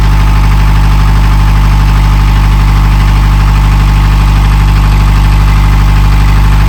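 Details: Narrowboat diesel after in-situ repair: deep steady idle chug, even firing about three per second, no knocks or misses; healthy.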